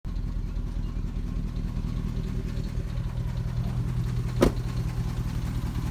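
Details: 2004 Dodge Ram 4.7 V8 with a cylinder 8 misfire since purchase, idling with a light quick ticking on a slightly uneven beat; a shop couldn't find the cause, source unknown.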